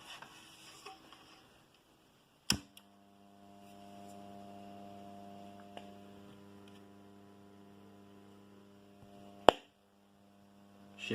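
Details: Condor RM820S radio cassette recorder after capacitor work: switched on with loud clicks, then steady low buzzing mains hum from speaker, constant throughout; mains hum.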